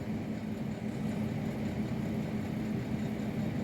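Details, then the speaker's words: Ninja Dual air fryer cooking garlic bread slices: constant low hum with an even fan whir and no rattles or scraping, running normally. "In my Ninja Duel, which you can probably hear, I have some garlic bread slices."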